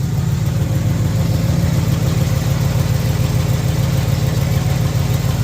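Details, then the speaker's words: 1971 Oldsmobile Cutlass, carbureted, just started after sitting, with a new battery; deep, steady idle at about three and a half pulses a second, no misses or knocks; normal idle. "Nice. Sounds pretty good. She's running pretty good. Sounds good anyway."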